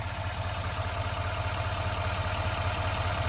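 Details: 2020 GMC 2500HD AT4 6.6 L Duramax diesel under the hood: steady, even diesel clatter at idle with a smooth low throb; no knocks or ticks, sounds healthy.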